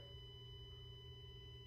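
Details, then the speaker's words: New Tesla Model X Plaid on software 2022.28.2, parked in the garage, switched off and not charging; faint steady high-pitched buzz at a constant tone, audible only when quiet; service center could not find the source. "you can definitely hear it and this goes on even when you are when you haven't plugged it for charging and you have turned off the car you can hear it"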